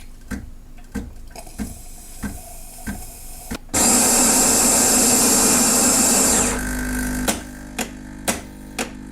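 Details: Saeco Vienna Trevi Chiara coffee machine whose ground-coffee doser had clicked nonstop at power-on: after disassembly and reassembly it makes spaced clicks, then about 2.5 s of steady grinder whir and a softer pump hum, working normally.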